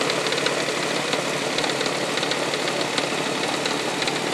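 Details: 1999 Toyota Sienna idling with light, sharp, loosely spaced ticking, like something hitting the valve cover; heard at startup and around 2300 rpm driving. Began after six NGK iridium plugs and an oil change. Cause unknown.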